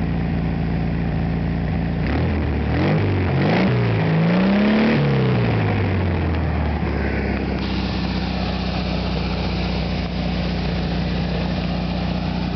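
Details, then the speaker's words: 1973 VW Super Beetle, rebuilt original 1600cc engine with about 150 miles, carburetor cleaned and just adjusted; a few sharp revs after firing right up, then a steady even idle around 800 rpm with loud clean exhaust beat, about 20 feet away: normal idle. "as you probably already know, but Volkswagens are very loud. About 20 feet away, and I still have to yell."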